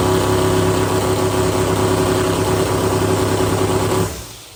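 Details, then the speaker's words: Newly built drag door car, small motor with big turbos, second start and throttle blip: strong even note holds then drops away cleanly; healthy running. "Bloody hell, going big turbos just to fill up some holes in the bonnet on a little motor."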